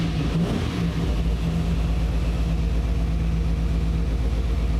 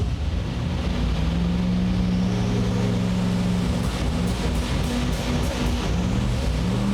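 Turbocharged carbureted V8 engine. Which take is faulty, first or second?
second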